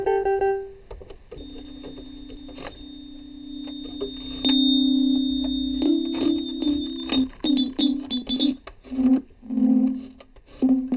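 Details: Yamaha PSS-380/390 keyboard after repair with hot glue: clear, even notes with steady sustained tones, no crackle, dropouts or dead keys; playing normally.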